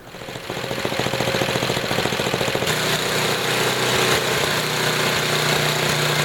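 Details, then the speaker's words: Small engine with Tecumseh carburetor after high-speed mixture adjustment, returned to idle and turned up slightly: low steady putter about 3.5 beats a second, even and smooth; normal idle. "I'm gonna turn it back down to idle here and this is what a decent idling engine should sound like it's a little bit low so I turn it up just slightly but this is around what it should sound like when you're done turning the car"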